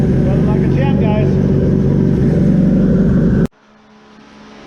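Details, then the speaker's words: Dune vehicle on E85 with an A1000 fuel pump newly fed from a relay, fired cold after building fuel pressure: strong, even, lumpy idle with no sputter or fuel starvation, then a clean shutdown; running properly. "we got fuel put back in it you saw earlier we got the a1000 in it so I'm gonna go ahead and build some fuel pressure and fire this thing up"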